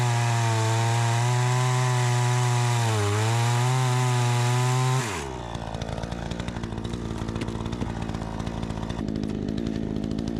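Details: Troy-Bilt 20" two-stroke chainsaw after carburetor adjustment, cutting wood: strong, steady high revs with crisp throttle response drop to a firm labouring note in the wood; the owner thinks a bit more RPM is still available.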